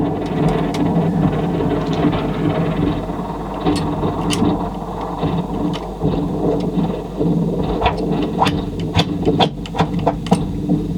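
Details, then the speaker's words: 1980s Technics RS3 cassette deck, bench test under repair: labouring, uneven chuffing like a slow steam train as the worn drive motor drags, barely turning, then gradually picks up speed. "oh well it's turning but only just sounds like a steam train a steam train gets some speed up"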